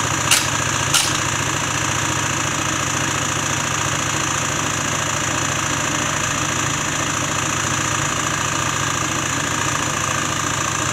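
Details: Peugeot Elyseo 50 two-stroke scooter on its first run after a new cylinder was fitted, idling with a steady ticking knock about three or four per second. The owner then inspects under the variator cover; the cause is suspected but not confirmed.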